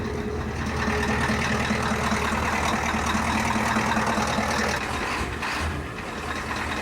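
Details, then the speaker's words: Ford F350 diesel idling cold, with low oil pressure earlier and a raw diesel smell: loud clatter with an uneven knock about 2.5 per second; rough idle, owner suspects a bad injector. "raw diesel. Yeah, I think that's an injector."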